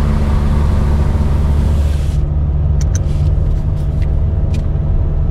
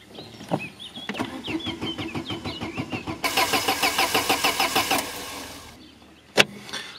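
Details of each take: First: Peugeot 605 bought cheap and running on old fuel, heard while driving. A loud, deep droning rumble points to an exhaust leak. Some possible pinking was also noted, perhaps from the fuel quality. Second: Peugeot 605 that had not been running, cranked on the starter with the engine disabled so it won't start. Even, steady beats at about three per second with no weak strokes suggest balanced compression across the cylinders.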